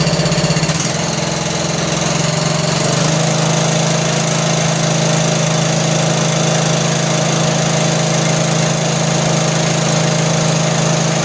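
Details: John Deere L100 lawn tractor single-cylinder engine, long sat, just started cold: steady idle with light quick ticking over the chuff; loose valve lash, quieter as it warms and when revved; valves need adjusting.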